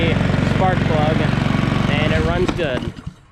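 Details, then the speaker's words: Cub Cadet 173 cc push mower, previously a no-start, after carburetor cleaning: small single-cylinder putters at an even, steady beat before shutting off; running normally, now fixed. "except for the vice grip falling off the bale bar but runs good now this one's all fixed"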